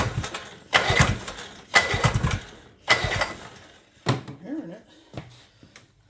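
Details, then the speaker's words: 1976 Johnson 440JX two-stroke snowmobile, long-sitting, carburetor flange partly taped, starting fluid sprayed: three one-second cranking bursts with a few weak pops, no catch; won't rev. Carburetor lacks its metering device, rebuild kit planned. "Okay, one of our last tricks for today, we heard it pop. I sprayed a little starting fluid in. I mean, all it would do is did it, it won't rev up."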